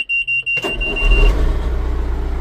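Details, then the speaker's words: 1997 John Deere 310E four-wheel-drive backhoe, diesel, started with a little throttle: a few warning chimes, short crank, catches at once and settles into steady even idle; fires right up. "Fires right up."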